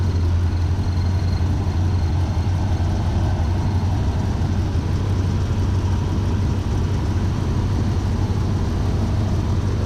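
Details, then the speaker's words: 1977 Chevy C10 V8 idling after spark plugs replaced; scope had shown misfires on cylinders 1, 5 and 7. Deep, even rumble with steady beat, no skips or stumbles; now running cleanly on all eight cylinders, repair verified. "call it bitchin 477 but I'm gonna say it's running on all eight oh yeah just look at it"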